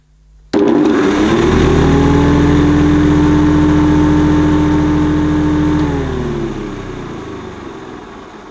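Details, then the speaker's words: 1973 Hoover Senior (Convertible) vintage vacuum cleaner after removing the faulty suppressor: motor starts cleanly, settles into a steady, even whir and winds down smoothly after switch-off, no crackle or stutter; working fine now, normal. "i wasn't really expecting it to go that quickly but it's all working fine now without the suppressor"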